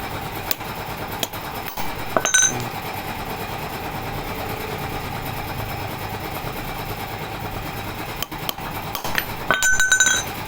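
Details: Model 411 two-stroke brush cutter after carburetor float cleaning and reassembly, fixing stalling and poor acceleration from flooding; steady even buzz at throttle with no bogging or cutting out, a few light clinks; runs normally.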